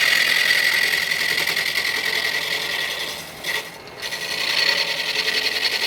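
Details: Truing an out-of-round mallet blank on a wood lathe. Rapid uneven chatter about 3–4 per second over a hissy cut evens out as the flats come off and the cut starts to feel smooth. A knot at one end adds hardness.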